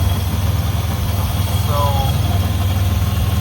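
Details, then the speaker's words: 1997 Mitsubishi 3000GT SOHC after fuel injector swap chasing a misfire, fuel pressure regulator adjusted, extra coil ground added: idle pulses about four per second but stumbles unevenly; rough running, owner suspects failing fuel pump. "Alright, so it turned on. It's still being weird though."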